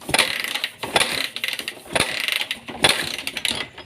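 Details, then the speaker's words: Suzuki Thunder 125 motorcycle with hard-starting problem, ignition on: repeated mechanical cranking bursts about one a second, engine never catches; cause unknown, ignition and spark plug to be checked first. "Motor ini nggak bisa hidup, nggak tahu. Kita cek masalahnya gimana ya bosku."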